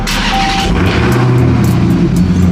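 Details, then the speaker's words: Dodge Charger Hellcat V8 restarted after a jump start from a drained battery: deep loud even rumble with steady firing, no misses or stumbles; normal healthy idle. "that's how it supposed to sound that is how it's supposed to sound"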